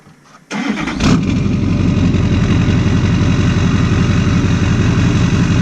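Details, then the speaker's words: Modified diesel pickup (Duramax or Powerstroke, unclear which) with a new 8-inch exhaust tip that makes it drone more: quick crank, then catches and settles into a loud, even low diesel idle with a steady exhaust drone. Runs healthy. "i'll start this thing up just so maybe you can uh go to the last video or something just compare noise"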